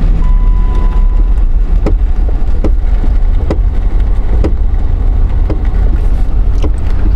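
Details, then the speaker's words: Jeep Liberty with a loud knocking while coasting without brakes, seeming to come from the front but located at the left rear: sharp irregular knocks roughly every second over road rumble while rolling, a wheel working loose on its studs. "it's in the left rear boy sitting in here it sounds like it's in the left front there we go yeah I thought it sounded like a freaking loose wheel"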